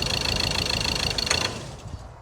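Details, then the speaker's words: Ford Ranger diesel with broken engine, after trying another injector: runs lumpy with uneven lopsided beat, then dies after a second and a half; only running on three cylinders, cylinder misfire; engine to be pulled. "You can see he's only on three. It's only on three."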